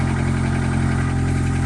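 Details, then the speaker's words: 1998 Honda Accord after a muffler replacement gives a steady, deep, even idle rumble with no puffing, ticking or hissing. Exhaust now leaves through the tailpipe instead of a hole; a leak check by hand found no air escaping. Normal idle. "Sounds a little deeper. I mean, you can really hear the engine noise still, but at least the air is coming out of there, not straight into the trunk."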